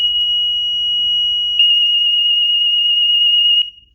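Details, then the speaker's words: DSC alarm system test entered from the keypad with the four-digit code: high piercing siren tone held about a second and a half, then rapid even pulsing for two seconds before stopping; siren test working. "go to system test start sending your four digit code go here it will sound the siren so it's one two"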